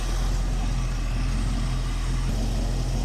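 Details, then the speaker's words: 1967 Ford Mustang V8, carburettor, after Pertronix electronic ignition install replacing points, timing set to 6° BTDC with the vacuum line blocked: deep, steady low rumble with even loudness and no knocks or misses; idles smoothly. "Fingers crossed. Beautiful. Sounds great already."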